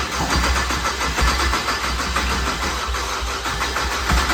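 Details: BMW 335xi built engine with JB4 tune, first start after fixing unplugged starter terminal 50: cranks, catches cleanly, settles into even idle with throttle blips; no check engine faults, O2 readings off from wiring.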